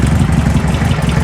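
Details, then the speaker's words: Circa-1970 sand rail, air-cooled four-cylinder, just revived, key start: low lumpy idle with light quick tick in time with engine, centered on block; hitting on all four, owner suspects a sticking lifter. "sounds like a lifter steam steam steam Steam we're hitting on all four I don't know if that tapping picking up sounds like a sticking lifter cuz it's dead dead center of the block"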